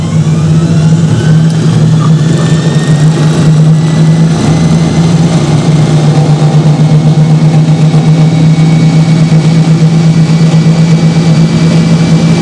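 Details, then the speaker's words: Hoover Spinarinse 3012A spin dryer from December 1968, spinning a load of laundry after drain hose repair with silicone sealant (leaks a little): loud steady low drone, mild vibration hum, no grinding or knocking; running healthy. "you know that it is doing a good job well anyway I'm very very pleased about that"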